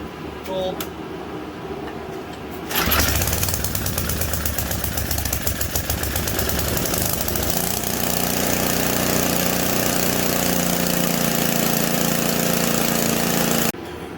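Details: Simplicity 560 snowblower, cold 10°F day, started after a new Champion J17LM spark plug and fresh 5W-30 oil. It catches after a few seconds and settles into a steady, even run with no misses or knocks. Running normally.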